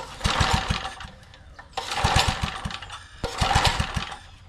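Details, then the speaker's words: Cold small engine on a trash-found edger said to burn oil, possibly overfilled with oil: three pull-cord bursts of quick chugging pops die off without catching because the choke was left all the way off; once the choke is set, it runs. "Is this a choke? That might help. Assuming the gas is good. Which way is Oh, that was all the way off for the choke."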